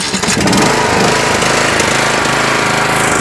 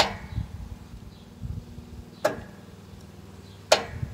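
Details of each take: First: Yardworks 42-inch 155 series riding mower after repair: a bad battery positive connection and ground were fixed, the battery charged, and the fuel filter, air filter and spark plugs replaced. The engine catches and runs steadily and evenly with no misses. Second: Yardworks 42-inch 155 series riding mower, boosted from a dead 7.47V battery: three sharp solenoid clicks with no cranking. Multimeter shows no 12V reaching the starter cable, so the solenoid is not passing power between its terminals.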